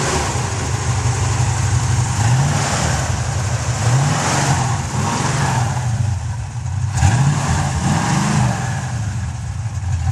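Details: 1966 Ford Mustang after replacing the points and condenser: steady even idle with several clean rev blips, no misfire; running healthy.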